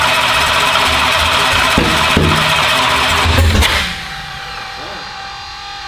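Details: Car "Slick Rick" first fire-up attempts: loud ragged cranking with sharp cracks and no catch before dying away; backfires but won't start, green flame seen, cause suspected, not confirmed.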